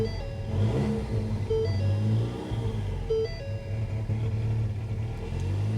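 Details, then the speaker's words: 2016 Ford Mustang EcoBoost turbo, 94,000 miles, at salvage auction, low fuel: throttle blips give a raw, uneven, droning note unlike other Mustangs before settling to idle; something in exhaust seems off, cause unconfirmed. "don't know if she sounds great or not but can you hear that now she's going to idle for us"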